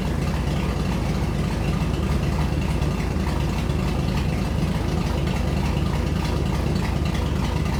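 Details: Shop truck just fitted with a Truck Norris NSR cam, untuned, mic by the exhaust: loud, choppy, loping idle at about three uneven pulses per second, running super rich; needs a tune.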